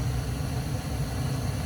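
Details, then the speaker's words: Home furnace just ignited after clearing foam blocking the vent passage that caused pressure switch 3-blink no-ignition fault: steady even low hum, no surging, clicking or dropouts; running normally. "oh wow we got ignition guys time for liftoff Wow we got heat we got Heat I'm excited"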